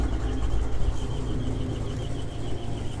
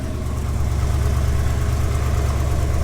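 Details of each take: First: GMC 2500 Vortec V8, warm, idling with a sharp, high chirp about three times a second; not the belts, only when warm, seeming to come from the torque converter area; cause unconfirmed. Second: GMC 2500 Vortec V8 at cold idle; steady deep even beat with no knocks or squeals, healthy; belt-like squeak, not the belts, appears only once warm.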